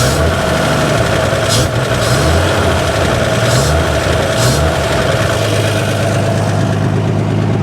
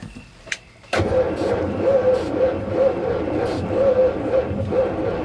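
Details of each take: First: Abandoned 1955 GMC truck with 350 and Hydra-Matic, first run in over 30 years, good oil pressure, brakes not working: deep, steady rumble at a light rev, even firing with no knocks or misses; a little smoky but runs good. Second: Abandoned 1955 GMC 350 with Hydra-Matic, first run attempt after 30+ years with weak orange spark: starter drags engine over sluggishly, slow labored compression pulses, no firing; battery running low.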